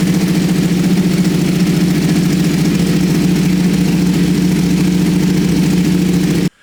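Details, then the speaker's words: Freshly rebuilt wrecked 2021 Ducati Panigale V2 idling after a successful start, fairings off: steady, even idle with a deep, lumpy twin beat that holds speed without stumbling until shut off. Normal idle. "that just sounds amazing. Oh, wow. So pleased that that's worked."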